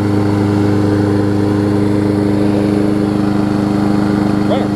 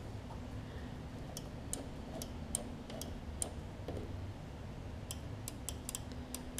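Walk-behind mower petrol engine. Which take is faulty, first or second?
second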